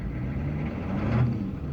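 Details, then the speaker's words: Late-90s (98, W VIN) GM 6.5 diesel with aftermarket lift pump replaced about a year ago: steady idle clatter that flares in rpm at the barest throttle touch, then settles; touchy throttle, surging, cause undiagnosed. "when I say touchy throttle if I just touch the throttle the RPMs will jump up now I barely touched the throttle there"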